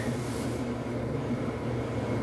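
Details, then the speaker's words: Samsung dryer just after replacing worn, flat-spotted drum support rollers and shafts (DC97-16782A): steady low drum rumble with an even hum and no knocking or squeal. It runs slightly louder until the new shaft coating wears in, which is normal. "your dryer will sound a little bit louder than what you're used to because of a new component"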